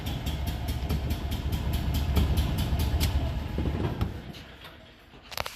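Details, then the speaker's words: Small engine after repair, possibly an Isetta, rocker covers checked: drops back from a rev to a steady, evenly paced idle without misses, no blue smoke, slight black smoke from a rich mixture, small exhaust leak popping; normal idle. "that sounds really good and she's not smoking particularly cured a little bit of black smoke too rich I'll fix that and adjust it but no blue smoke so nice"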